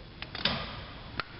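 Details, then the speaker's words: 12 kW diesel generator, hydraulic starting: battery master on, run switch to run, reset pressed, delay timer engaged; a few light sharp clicks as the control relay pulls in normally. "we engage the delay timer you'll hear the relay"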